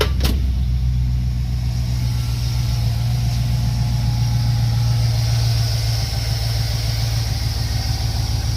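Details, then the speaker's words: Chevrolet Tahoe 5.3L V8 after replacing an active lifter and changing the oil: deep, even idle with a steady low rumble and no more ticking or rattling. Normal idle after repair. "look at that sound a lot better no more ticking no more rattling"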